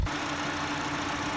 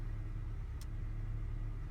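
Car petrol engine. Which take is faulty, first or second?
second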